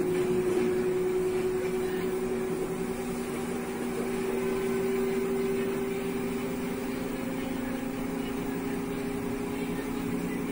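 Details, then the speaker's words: LG front-load washing machine in the spin cycle, a smooth steady hum with two even tones and a light swish, no knocking or grinding; normal spin sound. "siempre me preguntan cuál es el sonido normal de una lavadora de carga frontal en el ciclo de centrifugado"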